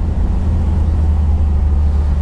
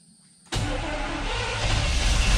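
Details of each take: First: Squarebody Chevy K30 that sat in a Texas field for years, last run perhaps in 2019, now running after fuel system troubleshooting and upgrade: a strong, low, even rumble with no misses or rattles. It runs normally. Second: Squarebody Chevy K30 truck after sitting years in a field: starter turns the engine at a steady, somewhat labored pace for several seconds but it never catches; weak battery voltage, owner suspects fuel spraying out the throttle body.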